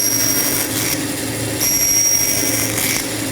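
Short bursts of hissing blade cutting between a steady motor hum, no squeal or binding; saw cutting cleanly.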